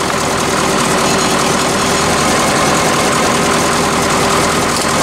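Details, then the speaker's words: Cold idle of a 1986 Ford F700 toterhome with a mechanically injected 8.2 L Detroit turbo diesel, just after an ether-assisted start. Steady, even idle with a smooth hum and no misses or knocks. Slightly smoky cold, quiet, no blow-by. "like a little smoky but she is old i mean mechanical injection she's gonna be a little smoky when she's cold but it does run really well and it's really quiet as well it doesn't have like any blow-by at all on the motor it's nothing"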